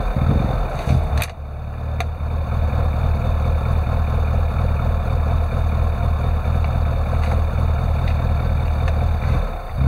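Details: Classic Mini (Rover Mini) petrol engine with rough idle that wavers and dips unevenly; revs won't rise when throttle opened though throttle voltage changes; unstable idle, cause unclear.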